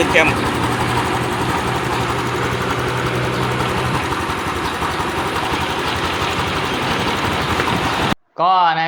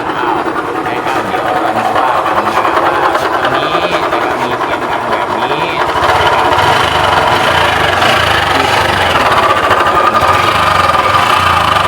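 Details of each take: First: Honda Wave 110i after reassembly: smooth, even engine run with a steady note and no howl rising with revs. The howl was traced to the cam bearing; the timing gear was hard to fit. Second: Honda Wave 110i motorcycle engine idling with a steady high howl over the engine patter. It was suspected to be a crankshaft bearing, but the howl is traced to a worn camshaft bearing that was noisy when turned by hand.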